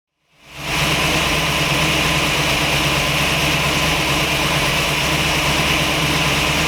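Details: V8 after fresh spark plugs with old plug wires and air cleaner reseated flat: uneven, loping idle with irregular stumbles about two to three a second, a cylinder missing; misfire persists, cause suspected (plug wires not fully seated), not confirmed.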